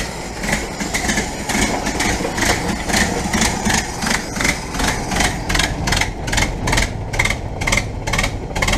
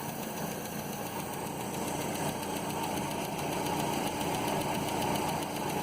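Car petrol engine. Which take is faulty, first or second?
second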